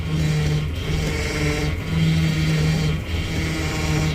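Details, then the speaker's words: 1999 Dodge Dakota, power steering fluid topped off, engine idling while the wheel is turned lock to lock: a wavering whine rises and falls; pump starving for fluid or failing, leak traced to the pump, which needs replacing. "you hear that noise that's the pump starving for fluid and or going bad"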